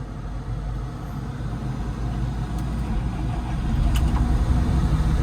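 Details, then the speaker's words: Tractor diesel start after battery isolator check: catches effortlessly and settles into an even, low rumble firming up as it warms, no stumble or misfire; healthy. "Effortless. Starting effortlessly there. Doing its warm-up thing."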